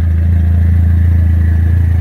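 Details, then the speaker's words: Dodge Neon SRT4 running cleanly again after a recurring intermittent fuel pump problem; deep, smooth, constant drone with fine even pulse, no clatter or stumble during drive. Normal running. "I'm glad she is running again it's nice to have her back"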